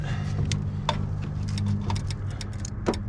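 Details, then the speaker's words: 1972 Toyota Celica 18R-C engine: carburetor fuel shutoff solenoid given 12 volts clicks sharply and irregularly over a low hum, showing it works, just before cranking. "And you can hear that solenoid clicking, that means it's working."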